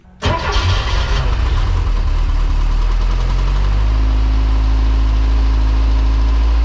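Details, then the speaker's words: Porsche 914 ex-race car, sat about 10 years, restarted cold after chasing vacuum leaks from old capped vacuum lines and adding fresh fuel: catches quickly, no smoke, steady but high idle of about 1700 rpm; owner hopes it drops once warm. "much better good thing is there's no smoke uh it's holding Idol I think it's a little high yeah Idol is about 1700."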